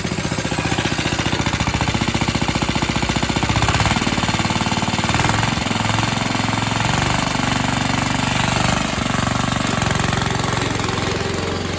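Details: Atco Suffolk mower single-cylinder engine, with the clutch working after the wear plate adjustment. Fast, even chug that dips briefly under load at around four seconds, then steadies; running normally.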